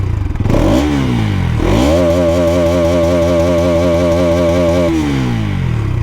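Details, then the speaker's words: Bajaj Pulsar NS200, about 2 years old, in neutral: clean throttle blips, then a rise to a held steady rev and a smooth drop back; even, healthy exhaust note. Owner notes vibration, a noise probably from the number plate, and mirrors that keep coming loose. "So exhaust ನೋಡಿ, 2 ವರ್ಷ ಆಗುತ್ತೋ ಯಾವ ಕಂಡೀಷನಲ್ಲಿದೆ ಅಂತ exhaust sound."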